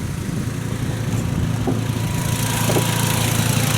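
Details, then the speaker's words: 2010 VW Jetta SportWagen 2.5 inline-five, heard under the hood at idle: steady low idle with a faint quick puffing tick; exhaust leak. "And as you can hear, it does have an exhaust leak. I think I mentioned that, you know, right there."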